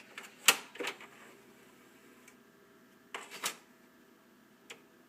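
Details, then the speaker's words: Power Mac G5 DVD drive with empty tray: a few sharp clicks and short whirring clunks as the tray reopens on its own; drive still reads discs but the tray mechanism misbehaves and needs replacing. "I hate when it does that. It's complaining that there's nothing on the drive. This drive is a pain in the ass."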